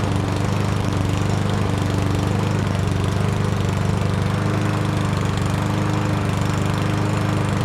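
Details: Yardworks self-propelled mower, 173cc engine, after brake handle held back with vise grips releasing flywheel brake and ignition ground: steady single-cylinder putter at even pace, no misses or surging; normal running.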